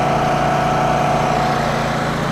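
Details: Champion generator, about 3600 W, first start after sitting unused a long time, started on choke: even, steady buzzing drone at constant speed with no surging, misfires or rattles; running cleanly.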